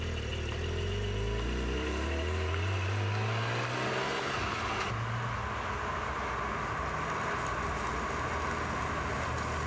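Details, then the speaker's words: Porsche 718 Cayman GT4 with about 2,000 km, drilled discs front and rear: engine note falls as car rolls to a stop, then a faint steady high squeal during low-speed braking; persistent brake squeal, cause unconfirmed. "es war jetzt nicht so laut aber man hat es gehört dieses hoch bekannte geräusch des gt quietschen noch einmal das dauerhaft passiert ist wirklich ätzend"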